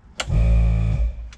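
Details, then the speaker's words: Nissan Patrol GU with ARB air lockers and compressor, compressor already up to pressure after fixing a leak from hoses at too steep an angle; sharp solenoid click, then brief air hiss and compressor hum as the rear locker engages normally. "We'll turn the rear locker on. You can hear the solenoid click."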